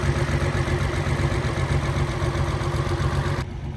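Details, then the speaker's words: After test drive on rebuilt Solex Mikuni Type R carburetors, throttle return spring refitted so throttle no longer hangs: smooth, deep, even idle with steady beat, no stumbles or misses; normal idle. "Put another spring back on. It's not hanging anymore. Seems to idle really well. Sounds good."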